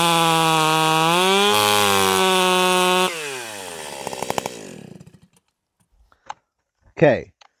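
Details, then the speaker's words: Stihl 028 AVEQ chainsaw, high-speed screw turned in about a half turn: screams at a steady high pitch in the cut, revs way up when pulled free, then goes rich again as it winds down; the high-speed mixture is too lean. "you could hear that uh as soon as I pulled it out of the cut you could hear it rev way up and then it finally started going Rich again"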